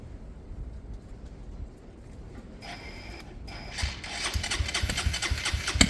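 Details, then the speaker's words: Hanway motorcycle after carburettor conversion, cranking with spark present: quiet uneven cranking with a sudden harsh kickback, never catches; owner unsure why, previously kickback came from timing issues. "I can hear spark. I can hear it sparking. That's weird. That back kick. That's weird. I've had that before, but that was timing out issues."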